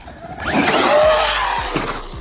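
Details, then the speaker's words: Traxxas X-Maxx RC truck with off-brand GPM upgrade parts: motor whine under throttle with grinding and skipping as drivetrain gears strip; it also cut out midair. "Sound like my gears are stripping. Oh no."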